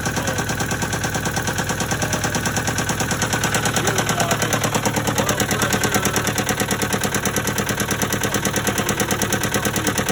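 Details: Case 188 four-cylinder diesel tractor, missing badly and smoking, run with new gauges fitted: lumpy idle with a regular thump about three times a second and a missing beat; number one cylinder appears to be misfiring.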